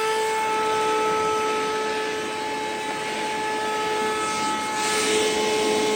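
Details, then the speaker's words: Older Flex 1.6-gallon shop vac at startup: a steady high whistling whine with no suction, then rushing air builds as suction kicks in once the noise changes. Abnormal startup noise, cause unknown. "This is my older one that I have, but whenever I turn it on, it'll make some kind of really weird noise and won't suck at all, and then the noise will change and then it'll start sucking."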